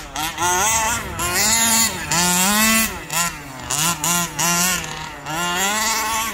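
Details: Rovan Baja 5B RC car, stock Rovan 29cc two-stroke with Rovan Dragonfly pipe, after won't-start troubleshooting and break-in heat cycles: high buzz winding up and dropping off cleanly in repeated bursts, revving freely with no bogging; normal running.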